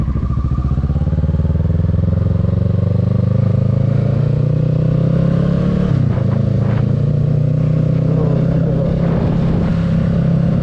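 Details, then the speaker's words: 2022 Kawasaki Ninja 650 riding at cruising speed with the windscreen removed: steady, smooth engine drone with no buzzing from the front fairing, confirming the windscreen caused the earlier vibration. "Okay, so as y'all saw in the video, like I said, no fairing vibration at all with the windscreen off."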